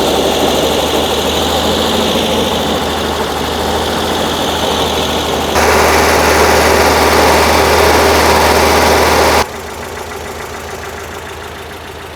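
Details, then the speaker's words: 1968 VW Type 3 with installed 1835cc engine, warming up after install, oil burning off, not charging: steady, even air-cooled idle with smooth regular beat, no knocks or misses; normal idle. "Um the car does sound pretty dialed."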